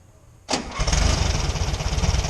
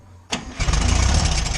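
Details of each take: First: VW Fusca (Beetle) after removing a makeshift air filter part that was causing a noise, during alternator bearing work: brief crank, then a steady, even low putter with no rattle; normal idle. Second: Air-cooled VW Beetle (Fusca) idling, revs kept low, during alternator bearing work: fast tinny rattle on each pulse. The alternator turns quietly, so the noise is traced to a loose object inside the pulley's cooling shroud tin.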